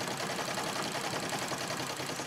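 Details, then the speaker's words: Singer 66 treadle sewing machine stitching: fast busy mechanical chatter with a loose rattling edge; owner takes it as a sign it needs oil and cleaning of the feed dog and bobbin area, cause suspected, not confirmed. "I'm going to finish this first but I can hear the sort of rattling sound"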